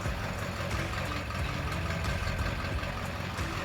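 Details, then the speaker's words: Ford 7.3 Powerstroke diesel just reassembled after a blown head gasket rebuild, first start, idling on its own; steady even idle with faint regular tick from an exhaust leak where an exhaust bolt was left out; normal idle. "Well, we got her going. She is idling now all on her own. It's 4 in the morning, but we finally got it going."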